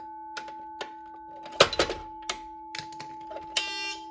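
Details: Edwards 6616 fire alarm panel after its cooked capacitors were replaced, set to code 3: a steady ringing alarm tone holds throughout, with clatter from handling the pull station; the panel alarms normally.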